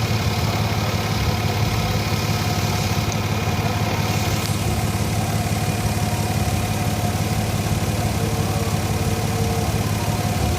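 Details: Exhaust leak (owner also suspects bad cat) heard at idle before installing red headers and Y-pipe, which later fixed the leak; a steady idle with a low, regular puffing tick about three times a second, plus a separate weird sound when decelerating or idling that persists.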